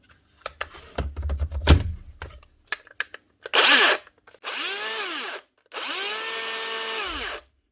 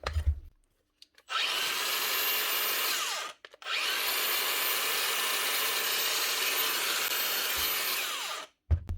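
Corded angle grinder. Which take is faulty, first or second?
first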